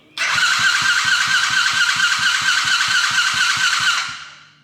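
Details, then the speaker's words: Coolster 110cc dirt bike on its old, wrong-type carburetor with choke on: steady electric starter whirr with even pulses for about four seconds, engine never catches; owner guesses the carb is badly gunked up, later replaced with a PZ20. "And you can turn this choke on. And it doesn't want to go at all. And I'm guessing the carburetor is just super gunked up."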